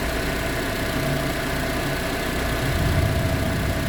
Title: proton exora cps rattling noise. Please suggest how to fix?